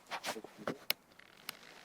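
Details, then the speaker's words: Cordless drill-driver keyless chuck given a final hand-tightening on a bit holder, mic near the chuck: a few light, crisp, unevenly spaced ratchet clicks; normal final clamping of the chuck on the accessory. "Vous allez l'entendre, je vais faire un dernier serrage à la main et vous allez entendre quelques cliquetis qui fait que le mandrin vient vraiment se serrer correctement avec l'accessoire."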